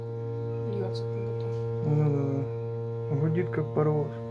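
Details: Samsung washing machine switched off and without power; loud steady low transformer-like hum with a buzzy edge, like a locomotive, drum not turning; source not pinned down.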